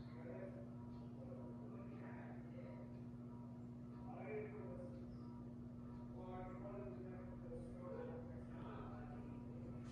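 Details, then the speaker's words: Casablanca Four Seasons III ceiling fan on a variable speed control, set a quarter turn to medium: steady low hum with a strong electrical buzz underneath; the motor buzzes noticeably on the control. "Give it a quarter of a turn. Kind of a medium. Man, that is buzzy."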